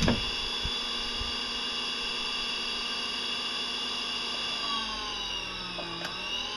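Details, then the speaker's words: Salvaged used electric motor with propeller, reassembled after troubleshooting an abnormal sound: brushes checked, screws oiled. A steady high whine holding pitch, with light gear rattle from rough used gears. Running normally. "oh sounds about right part of the noise is just the rough gears down there cuz uh this was a used thing it was actually in the garbage"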